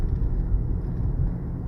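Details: Honda Accord on a test drive after front wheel bearing replacement: only a steady low road and wind rumble, with no whirring or growl rising with speed; the earlier bearing noise is gone.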